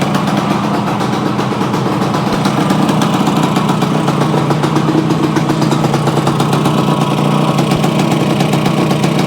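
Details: Yamaha AT-1 to CT-1 conversion two-stroke after wiring, oil pump priming and carburetor fix, choke on, premix plus oil pump: even, crisp burble holding a steady idle with no misses or surging; normal idle.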